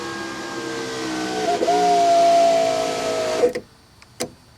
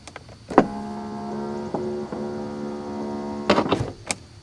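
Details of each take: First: 1991 Mercedes-Benz 420 SEL right rear power window after repair, test run with door apart: clean steady motor hum rising slightly as the glass travels, stopping with a soft thud; no grinding or squeal, operating normally. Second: 1991 Mercedes-Benz 420 SEL right rear power window: the motor hums steadily, stutters partway, then clunks. The motor and regulator work, but the glass catches at its base in the channel.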